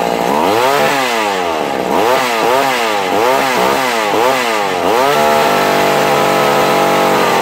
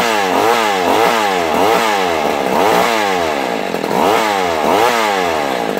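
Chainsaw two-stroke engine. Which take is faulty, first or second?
second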